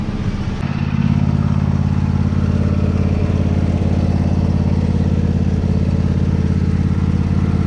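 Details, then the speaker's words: Old lawn mower, after first start of the season with the sticking choke now off: steady even low thrum with regular beat, no stumbling or hunting, normal running. "but you can see how it started active get the choke off and that's it run it just"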